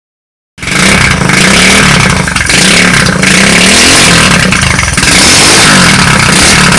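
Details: Street-legal go-kart single-cylinder engine, sat for 5 years, first start with a new carburetor and a temporary push-mower fuel tank: barks into life and revs freely and cleanly with buzzy exhaust; runs properly.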